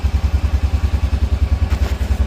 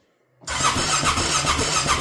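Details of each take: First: Honda Rincon 650 ATV after rebuild with new cam, cold start in freezing rain; cold-blooded, needs revving to warm up, carb needs fresh gas and cleaning. Even, deep single-cylinder thump about 3.5 beats per second, steady, no knocking; normal cold idle. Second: Honda Rincon 650 ATV after rebuild with new cam; even cranking chug with no firing, spins freely but never catches because the spark plug cap was not fitted.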